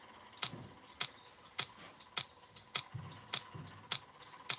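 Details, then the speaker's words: Small device after repair with antenna and speaker wired, case closed: sharp evenly spaced ticks about every half second with nothing else running; owner suspects the battery is not properly charged, cause unconfirmed. "You can hear a sound. I guess this sound only comes when the battery is not properly charged."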